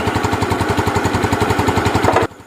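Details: Yamaha Jupiter Z that had lost ignition, used to test its CDI. A quick, even single-cylinder beat, steady throughout, cuts off sharply at switch-off; the CDI is fine (fault later traced to the pulser).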